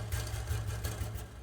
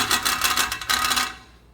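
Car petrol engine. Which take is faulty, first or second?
second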